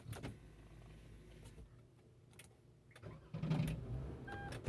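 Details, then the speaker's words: 2019 Toyota Sienna, noise while cranking: the starter cranks with a few dull uneven clunks as the engine rocks; a loose engine mount bolt was found as the cause. "el ruido güey de esta madre es cuando lo aprendes como que cuando se cuando está dando la marcha se deshangolote al motor como si fuera un soporte güey"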